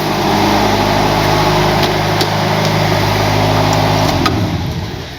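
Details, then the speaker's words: Mercedes W123 230 four-cylinder idling very cold, exhaust just starting to heat, good oil pressure, fuel low: smooth even beat and steady speed, no ticks or misses, then switched off; normal cold idle. "And if we actually listen to this baby, still cold. Ooh, very, very cold. This is the exhaust starting to heat up. Yeah, still really cold. Sounds nice, doesn't it?"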